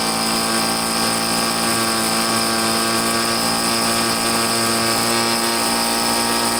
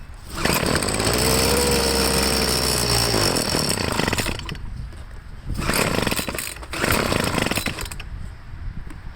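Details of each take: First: Troy-Bilt two-stroke leaf blower after carburetor cleaning and slight tweak, refuelled (had no gas), air cover off: high steady buzzing whine at constant revs, no surging or stumbling; normal running. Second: Troy-Bilt two-stroke leaf blower after carburetor cleaning, test start on half choke: revs high, sags and picks up in uneven bursts, losing prime at the bulb; fuel starvation, tank out of gas.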